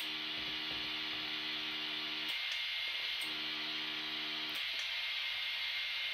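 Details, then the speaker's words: Vietnam-era PRC-77 backpack radio with a bad transmitter but a good receiver, heard through a second radio: over the squelch-off hiss, a low steady buzz comes in two keyed bursts instead of clean audio; A50 transmitter mixer module defective. "receiving radio should cut out in here only the audio or the transmission but you can hear a buzz there's there's no good transmission happening here"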